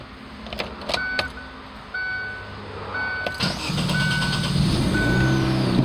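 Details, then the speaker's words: 2009–2011 Chevrolet Aveo after starter work. A few clicks, then a short crank, and the engine catches into an even idle: a clean, healthy start. "There we are, y'all. Perfect, as usual."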